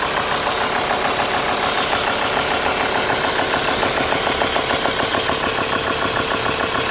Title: alfa romeo 2.4 jtdm strange noise 90 degree water temp